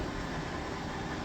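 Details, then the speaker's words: 2014 Forest River Sunseeker 3170DS Class C RV, large slide-out running out on its gear-driven screw mechanism: steady, even motor drone with no grinding, clunks or strain; healthy slide extension. "There are two different kinds of slide outs, as far as I know. This one's a gear, right? It's got a big old screw that it's turning. And then the other one is a little clunkier, so they sound a little different."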